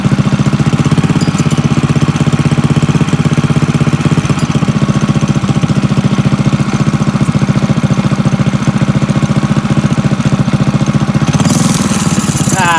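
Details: Drift trike small engine after the fallen-out clutch part was fixed: small single ticks at a steady, even beat with no knock or rattle.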